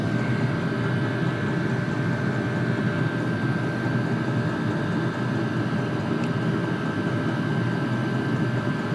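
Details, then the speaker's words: Vevor toolbox diesel air heater newly installed in an enclosed trailer, warming up after start: steady even roar with fan-like hum and faint high whistle, no pulsing or stumbling, exhaust audible; normal running. "So, I can feel the exhaust coming out. You could actually hear it."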